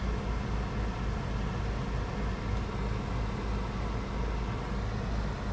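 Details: 2008 Chevrolet Cobalt at 179,558 miles, after the misfiring ignition coil was replaced: a smooth, even low rumble at idle with no stumble. The misfire and check engine light are gone.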